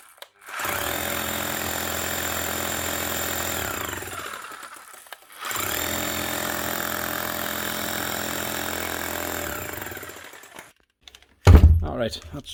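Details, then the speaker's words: Makita HR3000C SDS hammer drill from 2000, whose motor armature is overheated and sparking, tested to check the hammer function: two strong bursts of rapid, even hammering with no skipping; hammer mechanism works, fault is only the motor. "and feels quite good actually is definitely hammering hammering quite well so it's just the motor"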